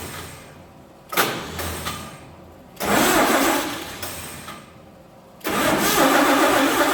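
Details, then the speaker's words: 1948 Chevy truck engine not run for 30 years, diesel in the oil pan, cranking: brief near-catches that die with no steady idle; no spark because the cheap Chinese ignition points burned, reportedly from 12 volts. "make our points about too hot cheap Chinese points are uh burned already because they don't like 12 volts"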